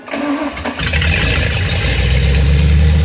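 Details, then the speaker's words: Ford 351 Windsor V8 with flat-tappet cam on a new self-tuning EFI replacing the carb, first run: brief crank then quick catch into a strong, even rumble, no misses or knocks; normal start. "Starts up nice."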